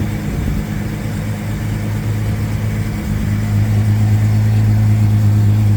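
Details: 1999 Jeep XJ Cherokee, cold start idle: steady low drone with faint, fairly even tap about three a second; suspected piston slap, unconfirmed.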